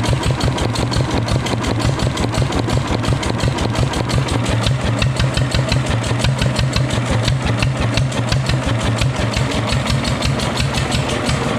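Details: Fully restored Deutz stationary engine; even, steady low thump at about three beats per second, firing cleanly with no knocks or misses; healthy idle.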